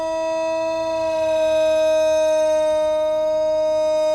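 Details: Thunderbolt outdoor tornado warning siren with bad bearings: steady wailing tone holds almost flat and never climbs to full pitch, struggling to wind up; bearing failure, siren still broken.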